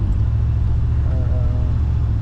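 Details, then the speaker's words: 1990 Chevrolet K2500 that had random misfires, after replacing distributor cap and rotor: steady, even low rumble with no stumble or skipped beats; normal running, no misfire. "seems to be running a lot better doesn't have a Miss I guess realistically that should have been the first thing on my mind"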